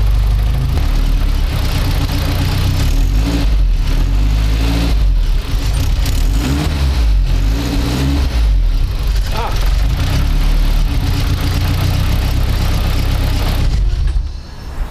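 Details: Turbocharged car started after swapping a Garrett G25-660 for a G25-550: harsh, loud blatting chuff on startup and revs, rasping each pulse, from exhaust escaping past the loose EGT probe port; fixed by tightening the probe.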